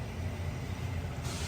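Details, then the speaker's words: 1990 Honda CRX with B18C5 engine and refreshed cylinder head: steady low hum at key-on for under two seconds, engine off, as the electric fuel pump primes louder than it should; noisy pump to be replaced with a factory pump. "yeah there it goes that don't sound good"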